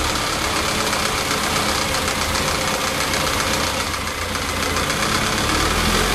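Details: Lotus Elan, warm engine after timing chain slack adjusted: settles into a steady, even idle with no chain rattle; runs smoothly and sounds healthy.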